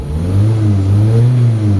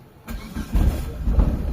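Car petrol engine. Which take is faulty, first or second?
second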